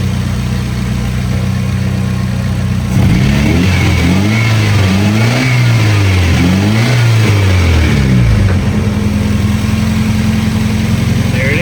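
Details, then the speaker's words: 1993 Nissan 240SX running on a bypass good fuel pump, with fuel pressure at 48 psi and 32 psi at idle, versus 26–28 psi on the original faulty pump. Steady, even drone through a few blips, then a smooth healthy idle with a tiny residual noise. "Then idle it dropped down to 32. That's a good number we like to see. There we go. Idling good. No issues."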